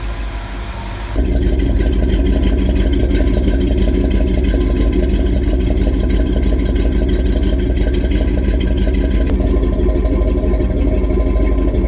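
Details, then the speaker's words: 1977 International Scout II with rebuilt engine and aftermarket camshaft; fires after a second and holds a steady, deep, even rumble with no knocks or misses; no leaks, a healthy V8 running smoothly. "The engine was rebuilt with an aftermarket camshaft installed. No leaks, runs like a top."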